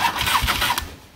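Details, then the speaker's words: Motorcycle starter just rebuilt, tested on the partly assembled bike, no oil in the primary yet: a short clean whirr as it spins freely under a second, no grinding or clatter; the starter works properly. "button voila looks like I'm good I'm going to finish putting it back together"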